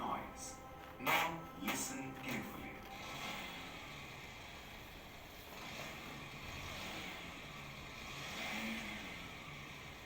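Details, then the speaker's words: Engine revved repeatedly: a metallic gear rattle that swells with each throttle blip; balancer idler gear backlash noise from excessive clearance between gear teeth, most prominent on acceleration. "This is called assembly balancer idler gear noise. The noise is prominently heard on the engine on acceleration. This noise is also called engine backlash noise."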